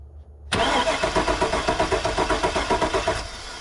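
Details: Truck with 85,000 miles, key on. Steady starter cranking at about four pulses a second for nearly three seconds, never catching: cranks but won't start. Fuel gauge is at empty, so it is suspected to be out of gas.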